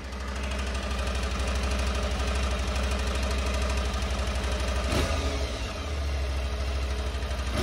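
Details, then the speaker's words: Aprilia Tuareg 660 twin before its 10,000 km service; quick light ticking knock over idle that follows the revs, worn cam chain tensioner on the engine side, replaced under warranty. "the chain tensioner that is right there on the engine side it's very quick to change and the part cost only like €70 that needed to be changed under warranty started knocking a little bit"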